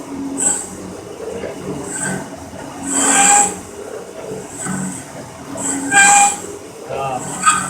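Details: Cincinnati 24-inch metal shaper parting off a gib, hand-fed, part clamped overhanging the table, rough-ground cutter: sharp high squeals on each cutting stroke about every 1.5 seconds, heavy parting tool chatter.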